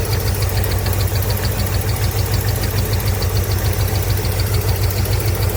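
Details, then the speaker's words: Chevrolet K5 V8 with Muncie 4-speed compound low, first test fire and warm-up: light regular slapping tick about twice a second over steady idle; owner hears belt whipping and notes it doesn't look straight, cause not confirmed. "I do hear it whipping a little bit. Check it. Check it again. It don't quite look straight."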